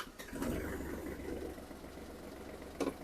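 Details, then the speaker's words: Kubota GL27 tractor, 27 hp three-cylinder diesel with manual gearbox, started in neutral with the clutch pressed: catches almost at once and settles into a low, even idle, no smoke or breather blow-by; clean, healthy start. "трактор завівся з півоберту двигун працює Дуже рівно не димить не сапунить все чітко"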